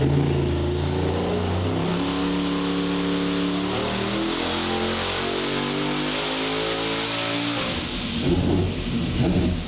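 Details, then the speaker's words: Ultra-low-compression stock-block 427 big-block Chevy with boost reference regulator on a dyno after retune and O2 fix: engine note climbs smoothly through the revs with no stumbles or lean sneezing, then drops off; clean full-power pull. "better all right we're sounding a lot better now now that it's actually sounds good coming up and it's not lean sneezing and having issues with O2 anymore"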